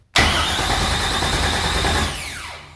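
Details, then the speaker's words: LS V8 swapped into Porsche 944, second brief crank with break-in oil; starter churning with no firing, whine winding down; engine turns over but doesn't catch, hissing noise noted, owner suspects breather. "Anyway, man, I loved that sound. I'm just gonna do it again."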